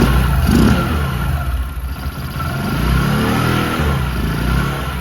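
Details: Discover 100 (BS3) single after timing chain replacement for a start-up chain noise: starts and picks up cleanly, steady low exhaust beat rising smoothly with throttle, no ticking or rattle; engine sounds healthy.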